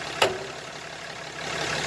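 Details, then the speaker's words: Lifted 2017 Ram 2500 with the wheel being turned: a sharp pop over a quiet background from the track bar bracket, which is slightly moving at its bolt; the noise travels through the track bar. "this is actually slightly moving so that's where the noise is coming [Applause] from yeah so you can feel it all through the track bar and it's actually coming through right here on this bolt"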